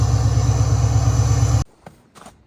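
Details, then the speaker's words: Ford Powerstroke diesel truck on a cold start: after about a minute the tune raises the idle to close to 1,000 rpm, a steady deep rumble with no knocks or misses, then it shuts off. This is a healthy warm-up high idle. "You can hear that high idle after about a minute or so. Kicks up to close to 1,000. So the truck warms up pretty quick."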